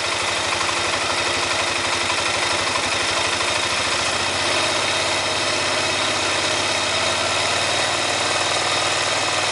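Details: 2005 Honda Rincon ATV with 300 miles: busy single-cylinder idle with a rough, gritty rasp over the firing beat, a grinding sound from the engine when throttle is given; cause unknown.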